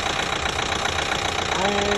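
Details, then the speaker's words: 2012 Chevy Equinox 2.4L with a new timing chain, at warm idle; silent when cold, noise starts as it warms: rapid regular light ticking about ten per second; top-end tick, cause not pinned down. "the thing is when you're cold and you start it the engine runs beautiful no noise whatsoever it sounds good but as soon as it starts warming up i get this"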